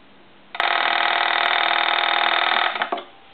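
A crisp, even metallic bell rings steadily for about two seconds and stops cleanly; the ringer sounds healthy.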